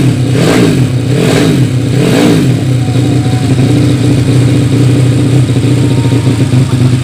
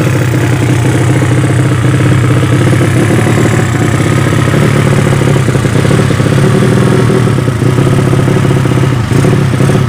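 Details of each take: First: Yamaha Vega ZR with 200cc Mio cylinder swap (66 piston, standard stroke), Tiger carburetor, after re-jetting to main jet 145; sharp blips then steady, even run with clean throttle pickup, healthy and well jetted. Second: Yamaha Vega ZR with swapped 200cc Mio cylinder, P2 26 carb, Shogun ignition, oil pressure up: loud raw steady bark from bare header at fast idle with rough edge; exhaust pipe too small, carb not yet set right.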